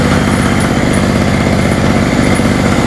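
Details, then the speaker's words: Hurricane 850W 240V two-stroke generator after refuelling with a lower-oil mix and tightening the loose spark plug: steady even buzz with no surging, popping or misfires, running smoothly. "It's running smoother. It's going."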